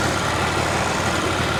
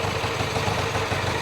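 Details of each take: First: Twin, kick-started after fuel turned on: runs unevenly and dips just after starting, then settles into a steadier beat as the cold engine warms; "sounds pretty good." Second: Vintage twin motorcycle after kick start, settling to warm idle with both cylinders warm: even, steady beat with light mechanical clatter, no misses or knocks; sounds pretty good.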